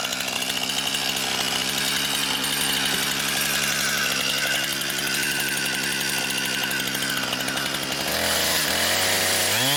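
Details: Brand-new Husqvarna 460 Rancher chainsaw on its first run, cutting pine firewood: a high, steady buzzing rasp that holds speed evenly through the cut, then a clean rev drop at the end. It is cutting normally and healthy.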